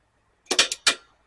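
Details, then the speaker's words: Sanyo VTC-8200 V-Cord II VCR, powered up with no tape before capstan belt replacement: four quick crisp clacks within half a second, then silence, as the solenoids pull in cleanly; normal solenoid actuation on power-up. "again so all that's sounding off very nicely"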